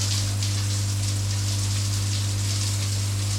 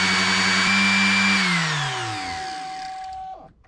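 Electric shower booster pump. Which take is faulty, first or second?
first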